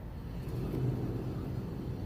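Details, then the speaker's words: 2016 Ford Transit 350 driving with a bad front wheel bearing: a steady low roar under the vehicle that gets louder the faster it goes; the front wheel hub assembly is being replaced. "a little bit of a roar and then the faster you go the louder it gets"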